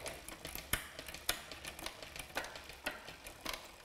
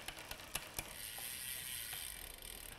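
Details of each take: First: Rear derailleur after new gear cable, barrel adjuster set so the jockey wheel lines up with the second sprocket: crisp, separate clicks shifting across the cassette with no grinding; normal indexed shifting. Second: Bicycle rear derailleur during gear cable replacement and indexing: light uneven clicking while cranks turn, then quieter chattering; with too much cable tension the chain tries to override the sprocket.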